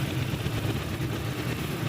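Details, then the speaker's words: Mitsubishi Lancer CD petrol engine at idle: lumpy, uneven ragged low beat as two cylinders not working properly, no scanner codes, head already done by another mechanic. "Missing कर रही है गाड़ी इसके cylinder नहीं कम कर रहे हैं proper check करते हैं क्या मसाला निकलता है"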